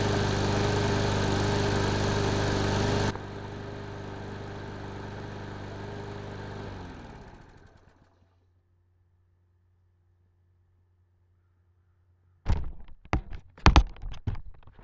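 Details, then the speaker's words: Craftsman lawn mower after carburetor cleaning and rebuild, cold start, primed three times: catches on the first pull, runs steady and even for several seconds, shuts off cleanly; normal. "guys there you have it it uh fired right up"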